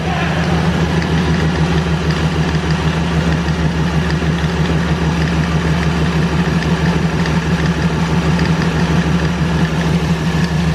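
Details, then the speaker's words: ProCharged Ford Falcon, LSX V8, first start-up with valve covers off to check rocker oiling, on year-old varnished fuel; even raised idle around 1,500 rpm with a smooth steady pulse, no ticks or knocks; normal idle. "it's at for a while it sounds really good though really good"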